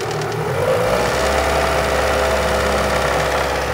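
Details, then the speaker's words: Renault Megane 2 1.6 automatic after a major engine rebuild with new hydraulic lifters, which were quiet at first but began tapping after some time: light, fast ticking at raised revs. Lifter tapping. "И кстати в этом ролике по-моему я говорил что мы попали на бракованные гидрокомпенсаторы но здесь явно ситуация немножко другая потому что изначально гидрики вообще не стучали когда мы их новые поставили началось всё это По истечению какого-то времени"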